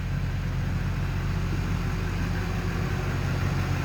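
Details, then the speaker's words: 2004 Duramax LB7 diesel after FASS lift pump install and fuel filter bleeding: started faster than ever, deep steady rumble with an even beat and no misses or knocks; idling extremely smooth. "You can hear how it's idling. It's idling extremely smooth."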